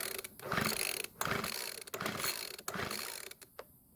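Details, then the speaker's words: Weedeater leaf blower, 110 PSI compression after freeing a stuck piston ring: about four quick recoil pulls with a rattling whir and no firing; cranks but won't start, owner next tries half choke; it still backfires as before. "now it didn't even try and start which is not a good sign hopefully it'll do something when I try that again at half choke"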